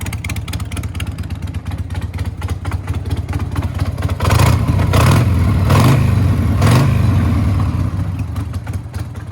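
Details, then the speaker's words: Heavily worn Harley-Davidson Sportster, possibly flood-damaged with thin, bad primary fluid, super loud exhaust: lumpy V-twin exhaust rising on a blip with light clacky ticking beneath; engine clatter, cause not found. "All right, guys, I hope you can hear just how clacky this engine is. But, you know, with the super loud exhaust, at least you hear it less."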